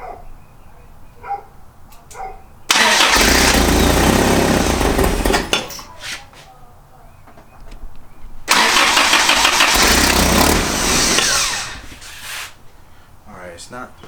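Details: 1986 Toyota 4Runner being revived: two roughly three-second cranking bursts with the starter spinning steadily, but the engine never catches. A spark was seen and fixed just before, and the owner suspects another, unconfirmed fault.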